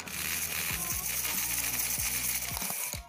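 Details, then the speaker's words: HO-scale model steam locomotive on track, partly reassembled with part of its shell: thin high motor whir broken by uneven clicks and knocks about twice a second; motor seems fine but drive linkage between locomotive, motor and tender seems faulty. "no, that doesn't sound good. So the motor seems to be working fine, but the drive linkage between the locomotive and the motor and the tender does not seem to be fine."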